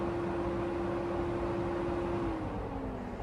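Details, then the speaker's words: BMW electric radiator fan run through an active test with the CGSULIT SC530 scan tool: a steady whooshing rush and constant hum that sags slightly near the end, running normally. "Electric fan, that sounds pretty safe. Electric fan, yes. Activate. Activation completed. Oh, there we go."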